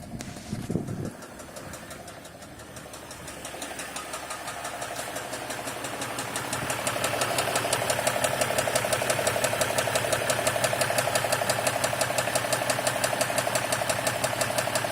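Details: Stock 2016 RAM 1500 EcoDiesel, 25,000 miles, dealer-maintained: starts and idles with steady sharp knock about three times a second under diesel clatter; owner reports sudden bottom-end knock, suspected rod knock.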